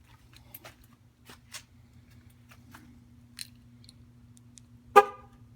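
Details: 2013 Jeep Wrangler JK that won't start; the battery had tested 12.9 V earlier and the locks no longer respond to the key fob. Fob press gives a single short, feeble, thin horn honk, weak from a discharged battery.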